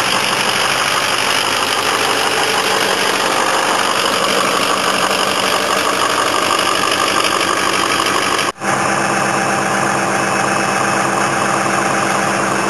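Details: Ford 6.0 PowerStroke diesel truck that sits through winter, cold start: steady even diesel clatter at raised fast idle, no misses or knocks; normal cold-start high idle.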